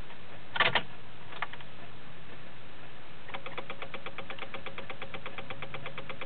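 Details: 2006 Honda Civic: a fast, even clicking at roughly ten per second when the key is turned, with no cranking; the car won't start.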